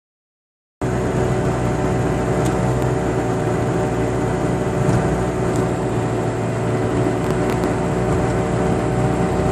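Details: 2006 Chevrolet Cobalt cruising: steady low hum under road noise; the driver side wheel hub was found bad.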